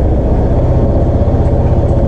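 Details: Honda PCX 160 scooter started with a second battery supplying a low battery: it starts promptly with no check-engine or battery-check warning and settles into a steady, even low idle with no misses or rattles. Normal idle.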